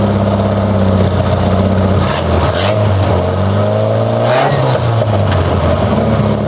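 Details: Nissan Vanette engine with modified extractor manifold and freshly serviced, being-tuned carburettor: very loud raw engine note rising and falling with throttle blips because the lower exhaust pipe isn't connected yet.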